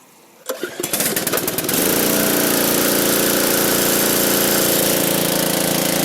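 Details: Free roadside MTD push mower: a few pull-start coughs catch within a second, then the engine settles into a steady, even run with no misses; it sounds healthy.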